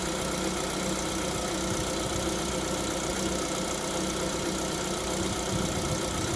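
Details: Lada Vesta at 11,000 km, cold idle: light, fast tapping under steady engine hum, piston slap (piston knock) when cold.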